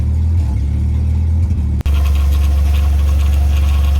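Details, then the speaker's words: H22 Prelude engine swapped into 1990-93 Honda Accord, after throttle cable reset; previously bouncing 1100-1300 rpm, now deep, steady idle around 800-900 rpm with no hunting or surging. "what a difference from 24 hours ago this thing is now idling much more lower"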